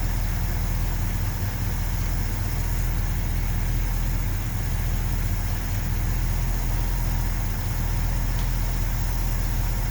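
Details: 1970 Ford F250 with 360 V8, warming up after spark plugs regapped to about .042: heavy, slightly uneven idle; vacuum leak suspected since idle mixture screws had no effect, carb base bolts found loose.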